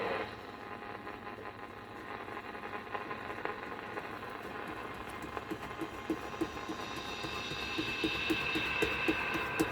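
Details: Pilot TR-80 transistor radio, tuning with a slipping dial pulley: hiss with a regular ticking buzz and thin whistle; interference from a nearby switch-mode power supply.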